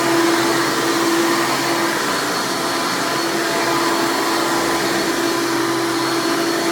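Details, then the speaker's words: 1996 Hoover Legacy (Elite Supreme) Dirt Finder U5103-930 upright vacuum, direct-air fan motor, running: loud, even high-pitched motor scream with steady tone, no pulsing or rattle; healthy old upright running normally. "And now I'll go ahead and run this thing and demo it for you, and you can hear it in all of its loud, screaming old Hoover glory."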